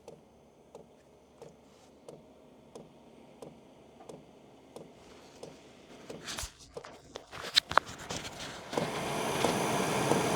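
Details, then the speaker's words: Hcalory TB2S Plus diesel heater warming up at fan speed 3: soft even ticks about 1.5 per second as the fuel pump meters diesel into the combustion chamber, then fan and burner roar in; normal, quieter than expected. "Okay, so it started clicking. I don't know if you can hear this or not."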